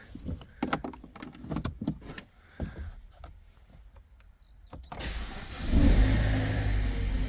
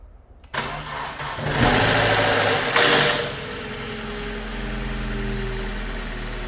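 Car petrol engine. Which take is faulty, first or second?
second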